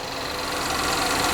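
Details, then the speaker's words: 2010 GMC Terrain with rough idle, rotten-egg exhaust smell, check engine light, rich fuel trim and high fuel pressure: a thin, steady metallic rattle over the idle. Timing chain slap is suspected. "so not sure if you can hear that or not it almost like I can hear a timing change SLA I can hear metal on metal in there"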